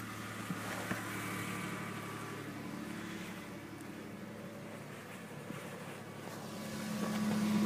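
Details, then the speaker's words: 1992 Lexus ES300, first cold start after exhaust pipe repair and fuel injector work: cold idle with a light, quick puffing tick about four a second over the hum; minor exhaust leak at the front. "Sounds like we have a leak right up here. Yeah, we have a minor leak up here."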